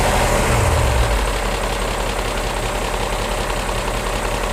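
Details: BMW E39 M5 V8 at idle only: light, fairly even tick of three to four per second from bank 1; bank 1 VANOS test makes noise during inlet advance and quits after exhaust retard while bank 2 passes. Cause unconfirmed.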